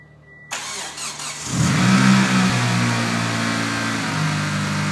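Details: 1995 Mitsubishi Eclipse GSX, 137k miles, new 16G turbo, 3-inch exhaust, after start: steady tick about four per second over idle; knock/tick of unknown origin, previous owner suspects spun bearing, bent valve also questioned.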